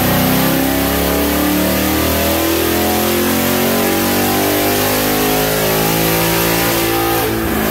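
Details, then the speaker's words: 2019 Mustang GT with base 93 tune, JLT intake and long-tube headers, on chassis dyno with new spark plugs after heavy top-end misfire: full-throttle pull with smooth, unbroken roar climbing through revs, no stumbles or popping; runs clean. "let's continue following along and watch the next pull on 93 with good plugs"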